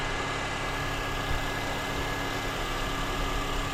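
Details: Honda Accord 2.4L K24 (2003–2007) just after serpentine belt replacement, engine started to check belt seating: steady, even idle with a smooth low hum and no squeal, chirp or slap; belt drive healthy.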